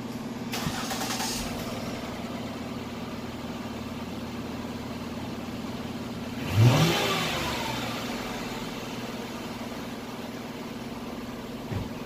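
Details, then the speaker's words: 2008/2009 Ford Escape after replacing the holed, noisy muffler: quiet, even idle with one smooth rev blip, no rasp or blowing from the exhaust; normal exhaust note, properly sealed. "so let's fire back up fired up here now the muffler is quiet"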